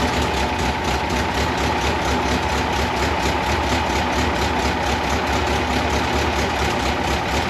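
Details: 1982 Fiat 124 Spider with a twice-rebuilt engine and newly installed exhaust, running after small timing tweaks: a steady, even twin-cam note with no knocks, misses or surges. Normal running.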